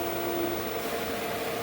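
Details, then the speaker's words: Pool pump with main drain valve nearly shut to pull from skimmer and vacuum hose: steady hum whose pitch changes, over rough rushing hiss of cavitation from restricted suction; reopening the main drain about a quarter removes it. "We're going to go as far to shutting off the main drain until you hear how the pitch of the pump changed, that little bit of cavitation."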